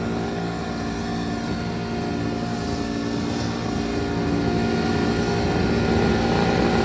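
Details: Two-stroke Detroit Diesel 8V71 with the racks tied at full fuel, deliberately run away for about 60 seconds before water is hosed into the blower. A loud, steady screaming drone with a fast, even beat keeps climbing past governed speed.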